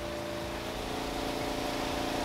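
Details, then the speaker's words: Giantex/Costway portable mini compact twin tub washer after 6 months of use, spin basket running with rinse water added: steady motor hum with clear tones, rushing water and slight rising shake while rinsing and draining; normal. "turn on the water and as you can see it's on and it's spinning with the water and don't worry about all the water up in here that's normal and that's okay so the going and it's rinsing as it's drying and it's draining out there as well"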